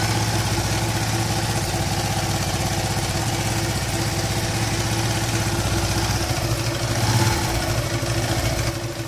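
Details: Yamaha LC135 motorcycle, engine warmed up, after repair of a noisy humming/whining engine, with the cause identified as the crankshaft. At idle an even single-cylinder putter rises cleanly on a throttle blip and settles back, with no hum or rough noise: healthy.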